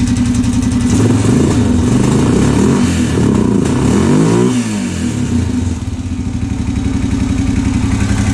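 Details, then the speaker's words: Honda 650 bought as non-running, now started after fuel drained; single-cylinder thump with loose clattery rattling knock on each beat as revs rise and fall, seemingly mid-engine; oil clean, no water; cause unconfirmed, teardown feared. "H wonder what that rattling noise is that suck have to tear this thing all the way down"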